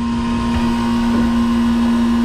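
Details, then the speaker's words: Commercial Hoshizaki ice maker after a faulty two-pole switch was replaced. The compressor runs with a steady, even low hum and no knocks or rattles; it is healthy, and the unit later dropped ice. "the guy should be here the compressor running that's a beautiful thing"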